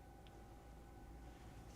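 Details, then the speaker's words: Tesla Model S/X with Mando rear calipers in EPB service mode, brake pedal held: a faint, steady electric whine at one pitch as the rear parking brake motor winds its caliper all the way back off. "Push down on the brake pedal, and you'll hear the electronic parking brake winding itself off. It'll wind for quite a while because it's going to wind it all the way"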